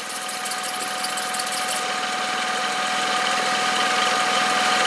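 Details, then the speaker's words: 2012 VW up! 1.0 MPI 44 kW (CHYA) at idle: constant high-pitched squeal from the belt drive, disappears when sprayed with water and returns as it dries; slipping, slightly porous serpentine belt, replaced. "ich glaube jetzt kann man das Quietschen noch mal ganz gut hören"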